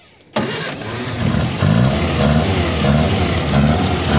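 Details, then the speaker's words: Barn-find 1954 Austin A30, laid up since 1971, first start in 52 years using choke and a bit of accelerator: catches at once and settles into an even, steady run with slight rev rises, no knocks or misfires. "that sounds nice excuse me I need to show me mates as well that sounds all right now"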